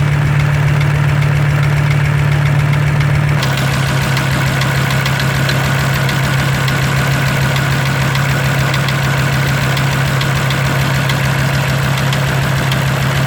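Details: Audi 100 C3 2.0 TD with DE diesel engine at idle: a steady, rattly knock of about three to four beats a second rides on the diesel clatter; engine knock, source undetermined.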